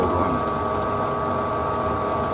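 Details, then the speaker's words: Heil DC90 gas furnace after replacing the failed draft inducer motor (OEM Fasco 7021-8918) with a new Fasco A170; the old one grew louder for months, then only hummed. Now a smooth, quiet, steady mid-pitched whir with no rattle, and it fired right up. "I wish I had some video of what the old ones are like you could hear it running in the whole house but this is amazingly quiet fired right up like a champ"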